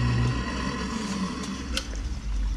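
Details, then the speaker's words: Used hot tub with no water in it, jets on, pump motor running at second speed: a steady low motor hum with an even drone and no knocks or grinding, which tells the owner everything works; normal motor running. "well I can hear the electric motor running that's second speed well that tells me everything"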